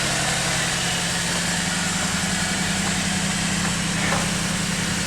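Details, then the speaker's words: Salvage-auction car with the V6 (not four-cylinder), smashed; check engine, traction control and ESC lights on, possibly a sensor or broken wire. Smooth, even idle with steady low hum, no knocks or misses; engine sounds good, normal idle. "motor actually sounds good actually sounds real good"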